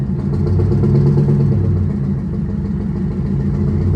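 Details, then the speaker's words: 1985 Peterbilt cabover, 8V92 Detroit diesel, just started after new Delco Remy 39MT 12 V gear-reduction starter fitted: deep, even idle drone, slightly rough from cold, no knocks or misses. Healthy. "oh that sounds like a heck of a lot more power it's a little cold"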